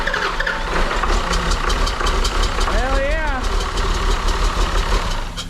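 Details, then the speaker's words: Auction-bought John Deere diesel engine, gravity-fed fuel from a funnel after bleeding injector lines: runs lumpy with an uneven beat about three pulses a second, one cylinder seemingly dead; misfire, possibly air in the system, not confirmed. "it almost sounds like it's got a dead hole"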